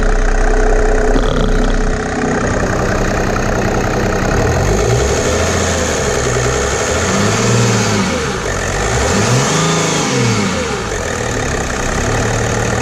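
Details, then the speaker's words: Mercedes W210 E300 OM606 turbodiesel after one bottle of Liqui Moly diesel purge: even diesel clatter at idle climbing smoothly through free revs and settling back, no misses or knocks; normal idle and revving. "I don't know if you guys agree but it sounds real smooth especially rpm like that sounds really good"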